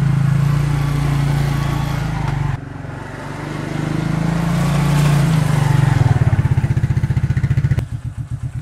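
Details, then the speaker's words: 1994 Suzuki QuadRunner 250 4x4 ATV, single-cylinder, after sitting for years and a carb rebuild, cold idle on a jumper box because the battery is uncharged, warming the oil before draining; fast cold idle settles into a steady, clean thump with no misses. "the battery is not charged so i'm running the jumper box on it i'm gonna let it idle for now and warm up the oil so it's easier to drain"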